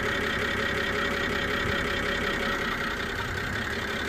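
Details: BMW E92 325i, after engine cleaner and oil change, NOx sensor replaced: uneven idle stumbling about 160 times a minute with a screech from the engine bay, misfire code; owner suspects an air leak, cause unfound.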